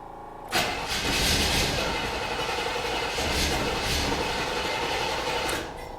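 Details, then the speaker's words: 1979 Chevy Caprice, unstarted for at least 2 years, cranked with 2-stroke oil and gas in the cylinders: starter churns about five seconds with uneven compression beats and one small pop, never catching; cranks but won't start. "No fuel yet."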